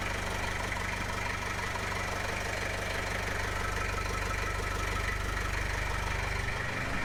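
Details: 1995 Gehl 5625SX skid loader diesel after replacing the glow plug relay to cure hard starting: steady, even idle with a regular beat of about three pulses a second and no misses; healthy idle.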